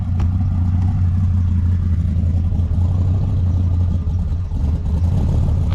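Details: 765hp Dodge Ram SRT-10 Viper truck V10, returned to its owner after 6 years: steady deep rumble with an even low beat and no knocks or rattles; running clean and healthy.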